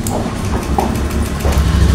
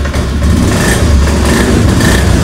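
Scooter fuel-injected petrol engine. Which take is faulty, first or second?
second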